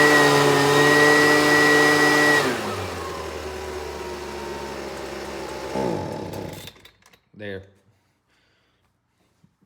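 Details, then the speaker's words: Husqvarna 125BV two-stroke, started on choke and run indoors: a steady high buzz drops sharply when the throttle is opened, labours lower and dies within seconds, bogging; a tune-up and carburetor cleaning are planned, cause unconfirmed. "I could probably let it warm up for a good while and it run a little better but with it falling on its face like that we're going to go ahead and just do a tune up on it"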